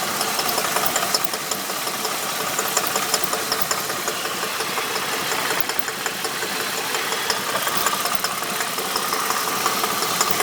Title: Holden VT knock/Rattle Noise